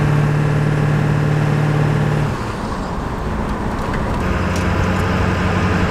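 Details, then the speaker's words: 2000 Ford F250 7.3 Powerstroke diesel on a test drive with the windows down, after replacing the front hub and bearing assembly: deep, steady road drone that settles lower after a shift, with an even rhythm; the engine sounds healthy. "So you guys get to listen to a good old 7.3."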